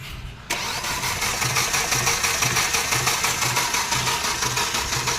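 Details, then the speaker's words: Hyundai Xcent engine running rough, with a heavy uneven thump about twice a second over a harsh clatter. Bad valves or timing chain were suspected; teardown found the timing gear and chain badly damaged. "शायद से गाड़ी के वाल या timing चन bad हो चुकी है लगता है"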